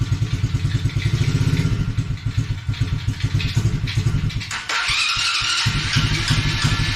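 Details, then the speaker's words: Coolster 110cc automatic quad, refitted air filter: small single-cylinder idles steadily then picks up cleanly, running fine without choke though slow to warm up; normal running. "it runs fine without the choke so there we go it takes a little bit to warm up"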